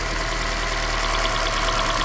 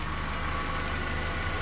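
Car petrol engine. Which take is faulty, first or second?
first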